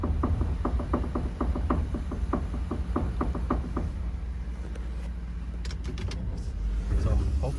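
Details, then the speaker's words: 2009 Ford F150 King Ranch 2WD on 275/65/20 tires and 20x9 rims, crawling with the wheel turned right: slow scuffing rub about three per second, mainly on the driver's side; tire rubbing on full lock. "So the tires fit and look great, but they are definitely rubbing. You guys are hearing it. It's mainly on the driver's side."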